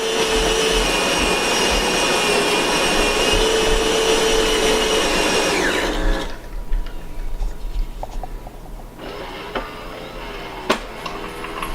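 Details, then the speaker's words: Solis Master 5000 espresso machine, owned a year, making two shots: a loud, even grinder whir for about six seconds, pop-pop as it tamps, then quieter pump pulses and drips. Normal grind and brew cycle. "So what you hear is the grinder grinding, and then you'll hear a couple pop pop as it packs the coffee. Grinding some more."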